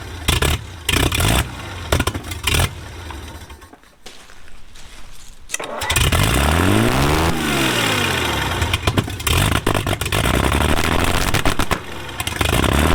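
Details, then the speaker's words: Abandoned 1950s Rolls-Royce engine stored years on a pallet, first start after plug cleaning: fires in uneven bursts, revs surging and sagging, never settles to steady idle, ignition cut on and off; owner suspects the governor, unconfirmed. "so in this clip you can hear me cutting the ignition off and on see if I can make the governor which I expect to be the issue to work"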